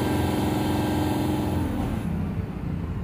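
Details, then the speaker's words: Tata BS6 phase 2 Cummins diesel: steady, even drone at raised revs with no hunting or stumbling; normal free revving. "तो आप देख सकते हैं कि इस समय कार यहां ठीक से दौड़ रही"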